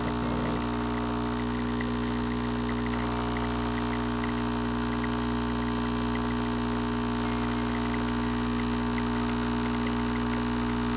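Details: Breville BES820XL espresso machine after replacing a stuck solenoid valve that caused grinding, clicking and leaking: steady, even pump drone with a constant tone during the shot; pump running normally.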